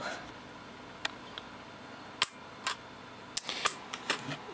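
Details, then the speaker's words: FireFLIR FF110 firefighter thermal imaging camera under repair: sharp, light clicks at uneven intervals as the mechanical shutter flips in and out during routine calibration. This is normal shutter operation. "you can actually see the shutter here moving in and out"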